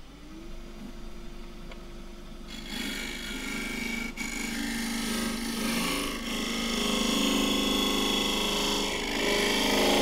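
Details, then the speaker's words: Lathe turning a 65mm cross-grain wood pot, hollowing with a scraper: rasping cut with a faint fast rattle about four per second, slight scraper chatter and vibration from overhanging far past the tool rest, with wood getting in the way of the cut. "Now that is chattering very slightly, because I'm a long way over the rest. Vibration. And that sound is really wood getting in the way of the cut."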